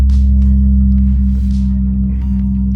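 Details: Definitive Technology 8080ST tower speaker: loud steady low mains hum with buzzy overtone and faint crackles, earlier huge booms and pops; built-in bass amplifier failing; amplifier hum.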